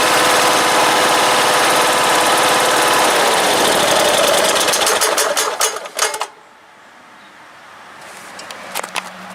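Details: Kohler Courage 20 HP engine on a 2017 Troy-Bilt Hydro Horse 46" deck mower runs fine, then gives a string of sharp rattling knocks just before stopping at shutdown; owner concerned about the rattle.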